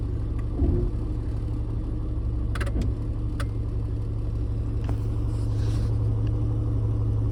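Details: 1995 Jeep XJ Cherokee with the engine running: intermittent bursts of rapid sharp clicking from behind the dash, traced to a bad relay.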